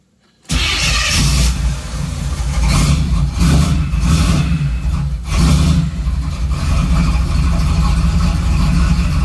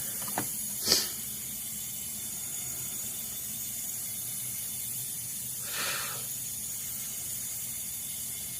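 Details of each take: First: 3rd-gen Camaro after reconnecting the ECM power wire left unplugged from clearing codes: catches after brief crank and settles into a steady, even idle with check engine light on; first self-sustained idle in days. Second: Smoke test of vacuum system on 1986 Camaro (3rd gen) engine: thin steady hiss with short louder puffs, engine barely audible; air leaking, apparently from the hose hooked up for the test.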